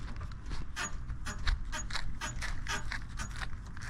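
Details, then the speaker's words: 2012 BMW F30 335i (Stage 2+ MHD, Stage 3 XHP): sharp rubbery suspension squeaks repeating with each hand push on the body, several per second; far louder while driving over bumps or uneven road. Dry or worn bushing suspected, not confirmed. "yeah I'm not sure how well you guys can hear that cuz I'm only using one hand to push down in the car but it is super loud and especially when I'm driving it's way louder than just using my hand to push it down"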